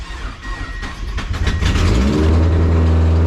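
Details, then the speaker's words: Mazda NB Miata after fuel pump replacement, first start: engine fires and idles loud and raw at 2,500 rpm with no exhaust fitted and no coolant; idle set too high. "Oh shit. It's alive and idling at 2,500. Should probably adjust that. Also, there's no fucking exhaust on it."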